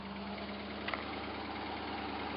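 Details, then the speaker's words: Hot-rodded V8 Jeep J7 rock crawler, at normal operating temperature: quiet, steady idle with an even hum and no misses, running on all eight; the carburetor secondaries need tightening. "definitely running on all eight holy crap does a gas cage work no gas cage can't work i i can't be that lucky i won't be that lucky it's up to normal operating temperature does it move oh yeah it wants to move"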